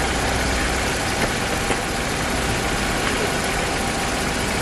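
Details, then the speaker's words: 1999 barn-find car with 70,000 miles, after the owner fixed the part that stopped it starting: steady, even idle with a constant hum and no knocks or hunting. "I think I've officially just fixed my first car oh my God a 25y old car I restored and I broke it and then I fixed it"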